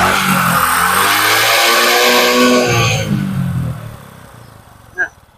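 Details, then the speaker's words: Honda Supra X 125 after an engine rebuild for a harsh engine noise traced to the piston (oil, top set, seal, clip and spark plug replaced): revs smoothly at full throttle and drops cleanly to idle with no knock or roughness; normal revving. "nah kita lepaskan gas itu suaranya enggak ada lagi suara cetak dan suara kasar dari bagian mesin ini suaranya Udah halus dan hasilnya maksimal"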